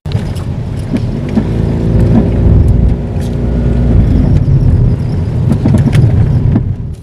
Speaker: If the bushings or ball joints become loose, that will create excessive play, leading to clunking sounds coming from your suspension. Here's an example of a noise you could hear when driving over uneven roads.